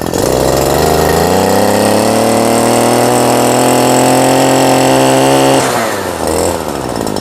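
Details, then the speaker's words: Robin brush cutter two-stroke engine with original piston, only cleaned; climbs to a strong, even high-pitched scream at high revs, holds it cleanly, then drops back. Starts easily, idles well, running normally like new. "เบาได้ดีนะครับรอบสูงก็ก็ถือว่าดีนะครับพร้อมใช้งานถือว่าเป็นตัวใหม่"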